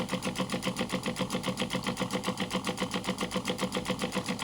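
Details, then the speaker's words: Small pump feeding a 3D-printed intercooler spray bar, drawing from a drinks bottle on a switch-mode supply, which itself clicks. When the water runs out, the pump runs dry with fast, even buzzing pulses about four per second. "And then I'll see from the video how long it took to to empty. Nearly there. You'll hear the pump run very quickly when it gets to the end of the water."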